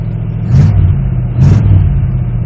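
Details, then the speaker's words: 1979 Pontiac Parisienne, swapped engine timed by ear, roughly 300K, dual Cherry Bomb glasspack mufflers: loud deep burbling idle with two quick clean throttle blips rising and settling evenly; healthy engine. "Sounds good. Dual cherry bomb glass packs."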